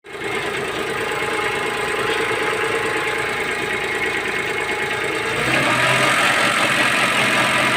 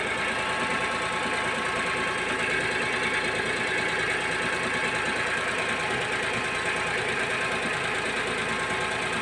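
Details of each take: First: Daewoo Matiz engine idling: light, fast metallic ticking, steady with speed, heard for six months and feared as engine failure; traced to a loose bolt, apparently holding the alternator bracket or engine mount. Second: Daewoo Matiz after tightening a loose bolt on the alternator bracket or engine mount that rattled and rang for six months: even, steady idle with a bright mechanical whir and no loose rattle or clanking; engine healthy now.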